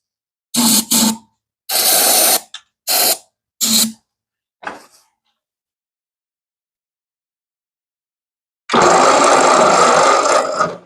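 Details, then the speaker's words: 1940s Ford tractor, probably a 9N, starting fluid sprayed down the holes: short uneven cranking bursts with no firing, then a longer crank; some cylinders sound like they aren't pumping, owner suspects a stuck valve. "sounds dead sounds like you can hear that one a pumping that one's a little pumping but I don't hear nothing out of those wonder if we got a stuck Val"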